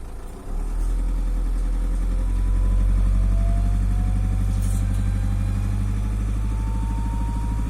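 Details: Volkswagen Passat B6 2.0 TDI diesel idling and revving gently: a thin whistle climbs in pitch as revs rise over the engine note; turbo whistle from a turbocharger problem.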